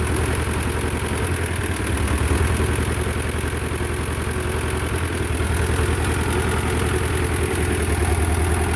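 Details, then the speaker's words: Belarus 250 tractor, two-cylinder air-cooled diesel that sat for years, at about 3/4 throttle: a heavy low, uneven chug wandering around three beats a second; it only runs near full throttle, from fuel starvation by debris in the lift pump valves. "well it seems like it only wants to run just almost full throttle like 3/4 throttle"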